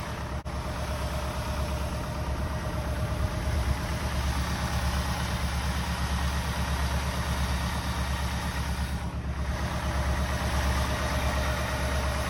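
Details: 1964 Buick Riviera V8, sat 23 years in a field, revived and warmed up with idle turned up slightly, recorded at the tailpipe: deep, even burble holding a steady idle, no stumbles or ticking; charging 13.2 V, healthy sweet-running engine.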